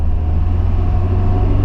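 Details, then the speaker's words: Mk3 Ford Cortina driven slowly after the axle shaft bearing work: low, even road rumble with no scratching or grinding from the rear wheel; the noise had been caused by a spring that popped out at the bottom of the rear drum brake shoes. "now as you can hear there's no scratching there's no grinding the spring at the bottom of the brake shoes had popped out and that was all that was doing it"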